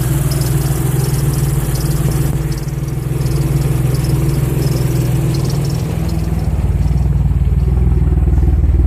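Deep, uneven idle with a stumbling, lumpy beat instead of a smooth hum just after a cold start; the engine is misfiring.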